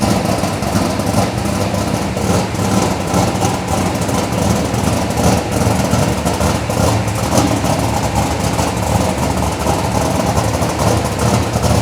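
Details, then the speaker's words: Chevelle V8 with Edelbrock Pro-Flo 4 EFI, 13.5:1 compression, said to run E85, injection not yet fine-tuned, 3.5-inch collectors into 3-inch exhaust with mufflers: deep, even rumble held steady, no ticks or rattles; normal clean idle. "it's going through mufflers it still sounds nasty toned it down a lot it's more livable"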